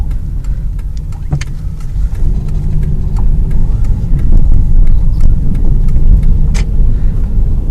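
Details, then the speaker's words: 2001 Ford Escape at low speed while turning: sharp, irregular crackling pops and clicks from left and right front, also over bumps; suspected worn front sway bar end links, before replacement. "whenever you turn the wheel you hear that crackling noise Also let's keep going for a little bit you hear pop it's coming from the left and the right"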